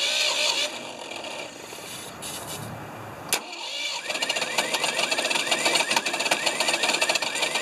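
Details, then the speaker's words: 1980/81 Ford 2600 gasoline tractor, rebuilt carburetor, good spark confirmed, on starting fluid: catches and puffs in uneven bursts about two a second, never settling to idle; won't run off carb, owner suspects carburetor fuel issue. "and we're at a starting fluid but yeah definitely a better improvement but what's going on with our carb why will it not run off the carb"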